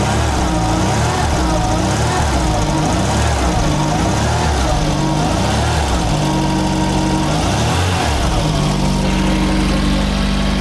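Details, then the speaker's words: VW Mk1 Golf Cabriolet, cold after an engine swap and 5-speed manual conversion, with more choke put back on after a rough idle. A steady, even low rumble with no misses, knocks or hunting. Idling smoothly on choke. "A bit more choke on. Oh yeah."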